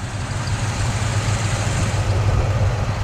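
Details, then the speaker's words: 1972 Cadillac Sedan DeVille V8 idling low, steady and quiet with an even beat and no ticking after a hard drive; the earlier stuck valve or lifter tick is gone. Normal idle. "So I started out in low, but then when I got enough speed, I was like, you know what, let's just go up a gear. Listen how quiet it is."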